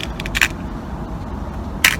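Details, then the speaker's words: Snowpeak AP900 air rifle firing: two sharp cracks with a dull thump and short ringing ping each shot, the hammer and spring thumping heavily onto the valve. "sound when I fire, you can hear a heavy thump and a pinging noise. And yeah, that is the hammer and on the spring really thumping onto that um valve."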